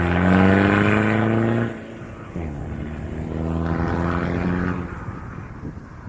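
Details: Mitsubishi Triton MN diesel with new 3-inch exhaust, high-flow cat, no resonator: deep even rumble swelling on a blip, settling to steady idle; controlled, less raspy than before; normal.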